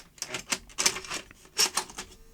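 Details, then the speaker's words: About 1980 JVC HR-7700E / Ferguson 3V23 front-loading VHS recorder with chain-driven carriage: irregular clatter and whirring as the loader strains and fails to pull the tape in, pointing to a slipping, very slack carriage drive belt. "It sounds like it's got a slipping drive belt. So, we've got some work to do with drive belts next."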